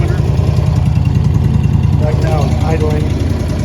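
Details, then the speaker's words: Honda EB11000 generator running on propane from a 20 lb tank after regulator needle-valve adjustment, governed, about 3700 rpm by tachometer: steady, even low hum with no hunting, misses or knocks. Smooth normal idle. "Right now I have it on idle lockout. Um it runs about 3700 RPMs."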